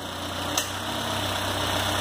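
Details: Citroën C4 hatch 2010 2.0 after 50k service with heat exchanger and belt kit replaced: steady, even idle with smooth low hum and no knocks or ticks; engine running cleanly.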